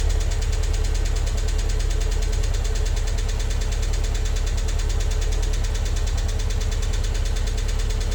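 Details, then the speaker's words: MG TF daily driver, first start after head gasket, water pump and timing belt replacement: fast, even ticking at about three per second over idle from tappets left standing five or six weeks; it cleared after about 10 minutes once oil circulated. "And just a quick note to say the horrendous tappity noise your tapping noise you can hear when I start the engine up. Uh that was the tapets. Uh they've been standing still for five or six weeks."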